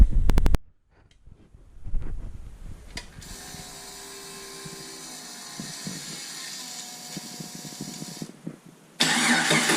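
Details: Jeep 4.0 inline-six built to a 4.6 stroker with T3/T4 6063 turbo, running a Holley Terminator X EFI; starter clicks, then the six catches and settles into a steady even idle before a throttle blip; normal start and idle.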